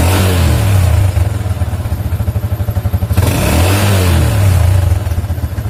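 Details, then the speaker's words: Yamaha Jupiter MX single-cylinder bike revved and released after disabling the AIS system, whose vacuum membrane had leaked: clean fall-back with no exhaust popping on closed throttle, so the deceleration backfire is gone. "nah ini tidak ada lagi ledakan ya Di knalpot ketika gasnya kita turunkan ya"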